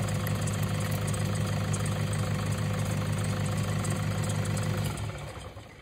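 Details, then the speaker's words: 2011 Toyota Hilux KUN26R, 1KD diesel, manual, before alternator replacement; with the battery negative terminal removed, the steady idle clatter fades and dies after about five seconds; alternator not charging, engine stalls. "Yep, see, engine dies, so it means that the alternator is not charging. So yeah, when you do that one, when you start a car and then it dies, it means the alternator is not sufficient power, so the engine die."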